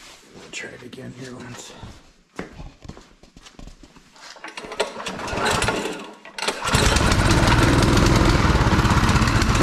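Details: Friend's Yardmax snow blower engine with a dirty carburetor, not even priming before cleaning: rough sputtering start attempts with handling noise, then a loud burst of running; won't stay running.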